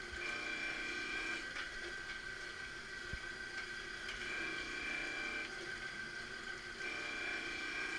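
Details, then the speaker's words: MG 500 straight knife grinder doing idle passes after rough grinding, carriage running back and forth without lowering the wheel to clean up; even motor hum with light repeating ticks, no contact, normal. "once you finish you can do a few idle passes where you just run it back and forth without lowering decline in hand just to clean it up"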